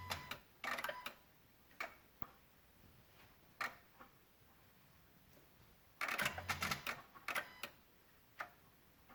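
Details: 2016 Honda Odyssey with Engine, VSA, LDW and FCW warning lights on, engine off: sharp irregular relay-like clicks in short clusters near the PCM and VSA control module.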